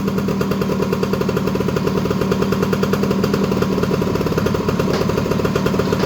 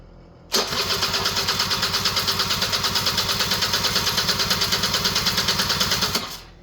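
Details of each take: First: Honda EZ90 Cub single after revival, idling slightly high while WD-40 burns off the exhaust pipe: crisp, even exhaust pops at a steady fast idle, no misses or knocks; running strong and healthy. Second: Honda EZ90 Cub cranks at about three even pulses per second for five seconds with no firing; fuel petcock was not on run, so no fuel reached the engine.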